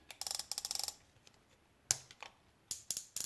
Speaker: and you'll notice you don't hear that click anymore